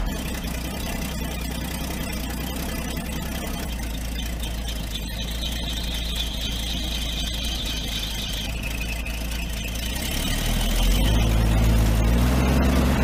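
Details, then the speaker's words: 1983 Toyota Land Cruiser FJ60, 2F inline six, hot engine idling: high steady squeal/howl; water pump bearing has lots of play and had been leaking coolant; water pump replaced. "the engine is hot and it sounds like the water pump is going out"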